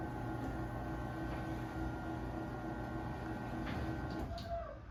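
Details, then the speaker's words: LiftMaster 8355 door opener after Torque Master replaced with extension springs, run from wall button; low even motor hum and steady whir, no grinding, straining or banging as door rises; super quiet, normal operation. "So yeah, this opener is super quiet."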